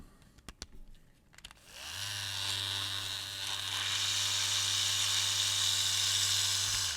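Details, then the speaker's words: Oneisall dog grooming kit with a nail-trimmer adapter on the hex drive shaft: loud, harsh, high-pitched whir with a gritty edge. The adapter's bearing is worn out; without the adapter the motor runs quietly, as when new. "okay you can tell that just wasn't right and if I take that adapter off and I turn it on you can hear how quiet the motor is"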